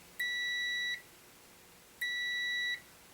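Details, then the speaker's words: Multimeter set to ohms with continuity beeper, leads touched together before probing the control-panel ribbon contacts of a Frigidaire Gallery dishwasher showing an ER S stuck-key error: two clean, high, steady beeps. Continuity confirmed. "I'm going to actually use this one right here, and this one will make a beep whenever it actually makes the connection like that."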